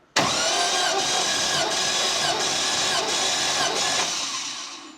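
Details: Classic VW split-screen camper van, four-cylinder, cranking during compression test with gauge: even starter churn with regular compression pulses, nearly three a second, then winding down; equal healthy compression.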